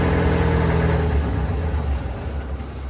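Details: Old two-stroke Detroit diesel in a folded-boom machine on an auction lot, started and settling into idle: deep steady drone about four pulses a second, running clean; normal start and idle.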